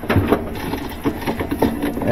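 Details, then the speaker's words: Admiral top-load washer, empty, agitating after a complaint of noisy agitation and one-way agitator movement: soft rhythmic thumps and low motor hum, no grinding or knocking; no abnormal noise heard here. "dogs I don't hear it I don't hear a bad sound doesn't sound bad"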